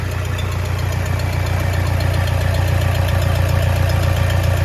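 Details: 2010 Toyota Innova 2KD diesel, left running; it had shown a check engine light, DTC P0093, and stalled when revved to 2000–3000 rpm: steady, even idle with light regular clatter, no misses or surges; healthy idle.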